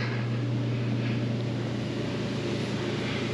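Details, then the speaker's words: Mr. Heater Big Maxx garage heater after blower motor replacement, fan running once tubes heat: steady even hum with soft airy rush, slight strut vibration only up close; blower back to normal. "you can hear a little vibration on these struts but you definitely aren't going to hear that from down here yeah that's back to normal"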